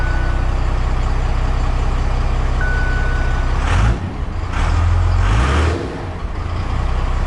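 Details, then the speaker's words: 2008 Ford F250 Super Duty with swapped 5.9 12-valve Cummins diesel, first run after swap: deep, steady, even diesel idle with no stumbling; running healthy. "Steady as she goes. That's all thanks to swap helper and loose wire. That is the first time I've heard this truck run."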